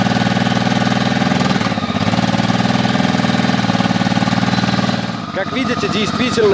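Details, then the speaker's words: Honda motorcycle that stood 2.5 months into mid-November and wouldn't start on a weakly charged battery (11.7 V): once charged it catches with a quick even putter and settles into a steady fast idle on choke, running normally. "see, it really was an insufficiently charged battery. Let's let the engine warm up a little on the choke, evaporate all the condensation from the mufflers"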